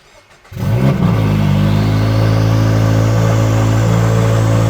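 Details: Turbocharged new-generation Subaru BRZ, first cold start after two-day turbo kit install with oil cooler and full-weld charge pipe: starter catches quickly into a steady, even low idle, no misses or knocks; clean, healthy cold start.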